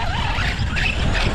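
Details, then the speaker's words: ARRMA Kraton 6S RC truck driving after a hard bash session, gritty crunchy grinding over the motor whine, power not reaching wheels properly; damaged rear differential, rebuilt afterwards. "Definitely something with the diffs. Something sounds a little off. Sounding a little crunchy."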